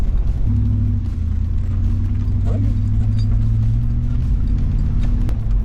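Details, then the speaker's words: 1996 Chevrolet C1500 Suburban V8 after new crank angle sensor and coil: deep, even rumble pulling away with no stumbles or cut-outs; running smoothly, though owner worries about exhaust condensation when cold. "think it is sounding definitely sounding better but it's just that condensation at the exhaust that worries me when it's cold"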